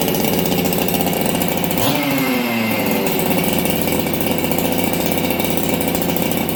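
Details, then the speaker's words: Ported Husqvarna 266XP chainsaw, first start in a year, not yet warmed up: high racing idle with a brief dip and recovery; fast idle with a little stumble, owner doubts it is an idle-screw issue. "Hey friends, you hear how this thing's kind of idling fast? I'm gonna go in. I don't think it's a idle issue. It's got a little stumble."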